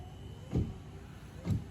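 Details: 2012 GMC Acadia with front wipers not working, wiper motor commanded by scan tool bidirectional control bypassing the switch: two soft thumps about a second apart as the wipers sweep; BCM, relay, fuse and motor work, but the wipers won't park.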